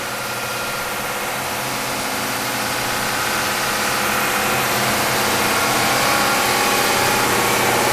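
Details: Bridgewood BWS 15 15-inch open ended wide belt sander: steady even whir and hiss slowly building a little louder, no knocks or grinding; raises and lowers, all functions work; normal running.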